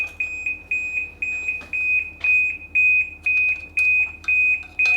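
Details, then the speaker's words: 2010 Ski-Doo 800R at key-on power-up: shrill beep about twice a second repeating without pause, warning of stored fault codes that were then cleared. Warning beep for stored fault codes. "oh well that's awesome feature just keep beeping till I can't stand it anymore man that is noisy oh there's a few fault codes look at that"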